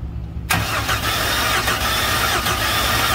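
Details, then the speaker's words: Hyster forklift 4.3 Vortec engine that seized after running out of oil, four of six plugs out after a compression test: starter spins it steadily for three seconds with a dull, even churn, no firing; cranks freely now. "doesn't sound too bad that's the longest crank I've given it in about half an hour now"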